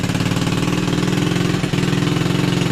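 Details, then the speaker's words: Revived ZY6 scooter, choked, with a slow, lumpy putt-putt idle and one brief dip. Low idle speed because the idle adjustment screw had been taken out and needs turning up. "All right, the idle is down a little bit because I took the idle adjustment screw out and I need to adjust it up."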